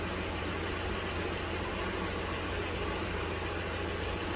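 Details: 2010 Dodge Journey 3.5 V6 after fuel injector replacement for misfire and P0206, codes and fuel trims reset: steady, even idle with low smooth hum under heavy hiss, no stumble or miss, in closed loop; normal idle.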